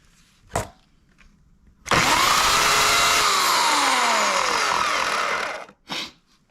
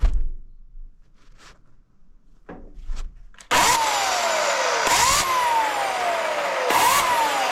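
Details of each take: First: Oregon CS1500 120V electric chainsaw after about ten cords of bucking: under load a harsh rasping grind over the motor whine that sags as the chain bites, began suddenly, plus a noise at shutdown; worn motor bearing. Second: Oregon CS1500 120V electric chainsaw after repair and reassembly: motor spins up to a smooth high whine three times, each spool-up clean and steady, then winds down without grinding; normal operation.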